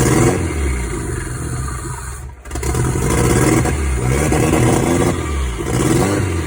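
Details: Toyota 5S-FTE after a bearing swap to fix a rod knock: revs up and settles cleanly with no knock under load. Bottom end sounds healthy.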